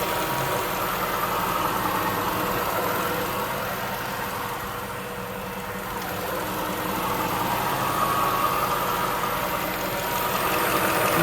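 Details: 2005 Jaguar S-Type R petrol engine idling, LTFT +18 at idle, lean-misfire-like stumble and flashing MIL at 1,500 rpm; steady airy hiss from deep below, source unlocated: suspected vacuum leak hiss at idle.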